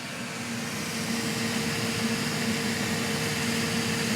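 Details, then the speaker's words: Elegoo Centauri Carbon 3D printer, new, during initial setup calibration: cooling fan at full speed, loud steady airy rush with constant unvarying hum; normal. "Also, you can hear that when the fan's on full with the door open. I'll shut the door and let you listen to the sound. But that's pretty darn loud."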